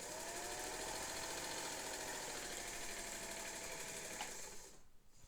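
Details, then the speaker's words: Vintage Singer sewing machine (99K-type) after new motor belt install (belt fits just barely), running fast: fast even whirring buzz with steady rapid needle patter, no slipping or knocking; happy machine, motor and belt. "All right. Okay. That apparently that is a happy machine, a happy motor, a happy belt."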